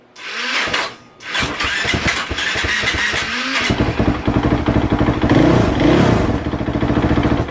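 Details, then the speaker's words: 2015 KTM 450 SXF after adjusting the yellow cold-start knob and lowering idle, cold start off: uneven, labored cranking for a few seconds before the single fires into a lumpy idle; hard starting from misadjusted knob, starter clutch slipping. "I have seen them yellow knobs when they're not adjusted properly these bikes will be a pain in the butt to start um it's just how it is you have to get them adjusted properly for"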